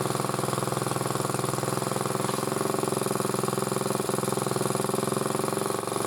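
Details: Single-cylinder motor-cultivator, which knocked and stalled in autumn and started poorly, now runs after valve clearances were checked (intake 0.20, exhaust 0.15): steady, fast, even chug with no knocking or misses; normal running.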